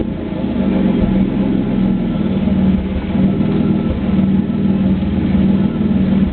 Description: Video of my 3.8 camaro with a bad spark plug. If you listen closely, you can actually hear the exhaust break up several times during idling and reving.